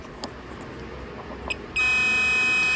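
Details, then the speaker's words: Multimeter on diode check, leads touched together before testing an IH Farmall 6-volt tractor's headlight wiring: a single steady high-pitched beep of about a second, slightly thin; continuity confirmed, owner suspects the meter's batteries are going. "a little sick, probably the batteries are going, but anyway, you can hear that it's making continuity there."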